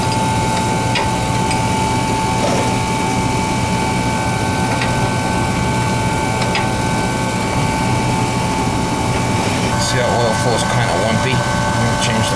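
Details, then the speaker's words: Oil burner: steady high-pitched whine held over the burner's roar as the oil pump struggles to pull fuel through a dirty, long-unchanged filter; filter then replaced. "That filter was pretty dirty. I could tell by the pump was whining. Struggling."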